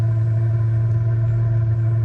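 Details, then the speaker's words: 2 kW Chinese diesel heater in a 1997 Mazda Bongo Friendee after an E-07 code: loud, steady low drone, no pulsing, burning off excess fuel flooded in the chamber with the pump off; should restart fine afterward. "this is it burning away the excess fuel that's in that chamber and once it does this it'll start up fine the next"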